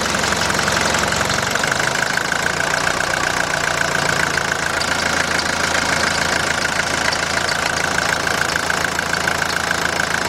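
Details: 1981 Mercedes-Benz 240D diesel, whole vehicle and reservoir tank shaking, worse in Drive: rough clatter with sharp regular ticking, a couple of knocks per second over a loud shaking run; knock, cause not yet found.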